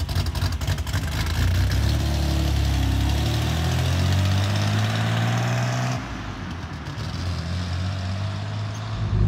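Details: MGC-GT six-cylinder after storage, battery charger acting as alternator; pulls up smoothly under throttle then settles to a steady idle without stumbling; fuel smells old but runs and drives.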